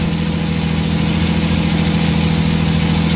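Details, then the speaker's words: Suzuki mini van DA63/DA64 with K6A engine idling with the air-conditioning on: a low, labouring uneven idle that sags instead of picking up. The throttle position sensor gives no steady voltage. "ako ng aircon Tingan mo patay So walang ano walang RPM na maganda so ito problema"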